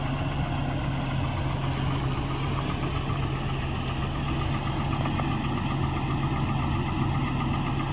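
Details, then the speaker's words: US-spec Volvo 740 Turbo Intercooler, B230FT engine, at idle: steady low even rumble with a constant airy truck-like roar from the very large viscous fan coupling; normal healthy idle. "Là on l'entend peut-être pas forcément bien, mais vous avez un très gros visco-coupleur, ça fait un peu un bruit de Scania on va dire."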